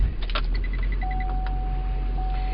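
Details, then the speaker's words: 2005 Chevrolet 2500HD with dual parallel batteries and simulated bad ground cable: brief crank, instant start to steady deep idle; cranking voltage minimum 10.05 V, max 14.66 V once alternator charged, batteries holding up well. "Okay, max was 1466 once the alternator fired. Okay, minimum it only dropped to 10.05, so the batteries are holding up well."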